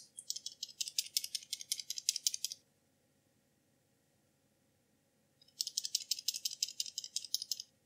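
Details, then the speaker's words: PUMA 3D-printed microscope filter block: with the coin removed, the beam splitter gives two bursts of light, dry rattling, each about two seconds, showing it sits loosely and correctly in its groove. "we can then carefully remove the penny and if it's properly in the groove should be able to hear it rattle"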